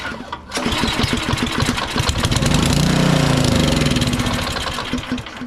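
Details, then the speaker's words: Powersmart 24-inch DB7651 snow blower with an LCT engine that won't start or stay running. On sprayed-in fuel it cranks, catches and runs roughly a few seconds, then fades, showing the carburetor isn't delivering fuel; the carburetor is to be replaced. "we know it fires up on that we know this thing will run if we were getting a good amount of fuel to it a good fuel mix so we're going to replace the carburetor on this customer"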